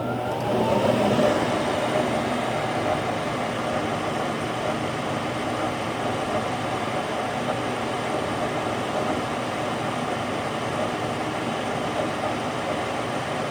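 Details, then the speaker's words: Goodman furnace after replacing the bad, humming inducer motor and fitting a new gasket, which had caused a burning smell and no heat: fan spins up with a rising whir, then a steady, even burner roar without rattles; running normally. "alright guys so that was a simple one Goodman inducer motor we'll get these guys back feeling warm"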